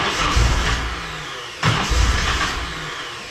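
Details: Nissan 240SX with engine rebuilt after timing chain snapped, first crank attempt with timing roughly set at the distributor: steady starter churning about three to four beats a second with stronger surges, engine never catches.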